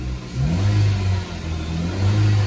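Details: Nissan Grand Livina revved; its rough noise had come from a faulty AC pulley bearing; clean rev up and back down, smooth and even with no bearing growl or chirp.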